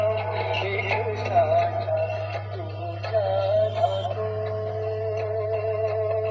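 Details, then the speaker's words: Universal home theatre with TDA2030 IC bass circuit: music thin and tinny, treble playing on both sides but no bass at all, steady low hum underneath; bass stage dead. "मैं इसमें बस बिल्कुल नहीं आ रहा है और हम इन की आवाज आ रही है आपको सुनाई दे रहा होगा"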